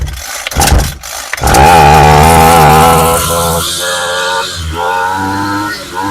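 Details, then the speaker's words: Homelite 26cc UT26CSEMC string trimmer, previously wouldn't start after sitting, fires after a few pulls on choke and revs cleanly to a high steady buzz with crisp throttle response after fresh fuel, fuel lines and carb diaphragm were replaced; running normally. "All right, sounds pretty good. So that was all it really was."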